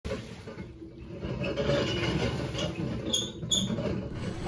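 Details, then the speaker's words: LG top-load washer running with rough, uneven grinding and sloshing; it has also started leaking water, and the failing part is the hub clutch assembly, with worn drive hub bearings letting the motor rub. "my washing machine is an LG washer and it started grinding and now it's starting to leak water the part that's going out is a hub clutch assembly"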